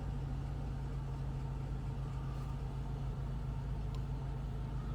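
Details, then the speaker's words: Mercedes 500SL R129 with M119 V8, fuel-injected, cold start after sitting over a month: steady low idle with a slightly uneven, lumpy beat, settling rather than misfiring hard; cause not confirmed. "and there's gas in it cool little it's a little lumpy"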